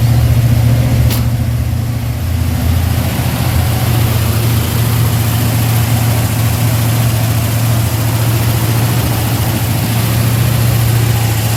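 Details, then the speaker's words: V8 after new Holley Sniper electric fuel pump and dead-head return regulator fixed low fuel pressure, cold start: deep steady rumble, even beat, no misses or knocks; normal cold idle. "go ahead and crank it up for you on this is a cold start"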